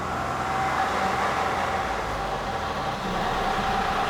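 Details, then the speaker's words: 2016 Mini Cooper 3-cylinder with drivetrain malfunction light: engine stuck around 2,500 rpm with a harsh droning mid-pitched tone and rough uneven undertone; misfires on cylinders 1 and 3 follow. Possible mechanical failure suspected. "So, drivetrain malfunction sets. You can hear the horrible noise that it makes."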